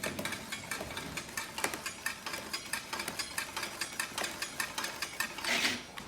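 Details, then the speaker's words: Trek Rail e-bike on stand, cranks turned by hand: rapid, regular light ticks and scrapes from the slightly bent rear disc brake rotor catching the caliper each revolution; fix is a new rotor. "so that noise that you hear is the actual rotor it's slightly bent uh and that's catching on the caliper as it's going around and making that noise"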